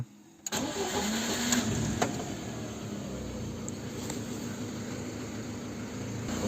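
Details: Lada Kalina 1.5 8-valve after repairing a burnt track on the engine control unit board, which had caused rough misfiring running and poor cold starts; starter catches quickly, steady even idle without stumble or misfire, no fault codes: normal start and idle.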